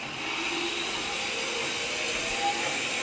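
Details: Shop bandsaw running at speed: even, steady rushing hum with no knocks or pitch changes; normal running.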